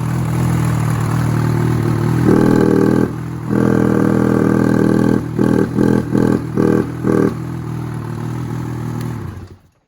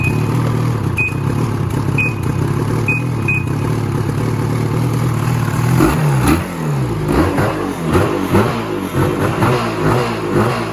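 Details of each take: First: 2016 Ski-Doo 800 E-TEC Freeride snowmobile: starts and idles fine, but short throttle stabs barely lift revs before falling back, won't rev past about 1200 rpm; bogs off idle, throttle butterflies suggested to check, cause unconfirmed. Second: 2016 Ski-Doo Freeride 800 E-TEC two-stroke sled that bogged off idle and wouldn't rev over 1200 rpm, after throttle cable free play adjustment: picks up crisply, revving freely in repeated blips with no bog or stumble; healthy free revving.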